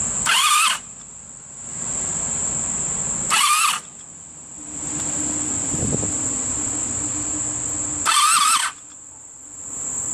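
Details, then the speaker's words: 1985 Honda Sabre VF1100 V65, sat outside about 5 years, engine previously seized, carburetor needing rebuild; fuel lines and float bowls emptied, choke on, in neutral: three short starter bursts, engine never catches as no fuel reaches the carbs yet. "I've emptied the fuel lines, so there is no fuel anywhere between the gas tank and the carburetor, so it's probably going to take a minute."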